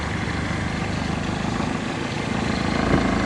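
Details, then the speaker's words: Toyota Altis at idle, vibration louder at idle: buzzy rattle pulsing about four times a second from loose engine cover, stops when cover pressed down; engine mount checked, no oil leak. "Narinig niyo mga bossing ano? Ang lakas nung vibration niya."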